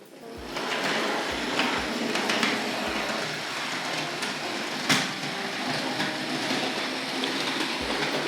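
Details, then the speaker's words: Hornby layout running on an R.950 Master Controller. Small motor hum and regular rail clicks, then one sharp clunk near five seconds. The bogie frame seems to be colliding with the point motor. "yes i remember why that that clunks on there it collides with the point motor i'd forgotten about that i think that's the bogey frame is colliding with with the point motor there"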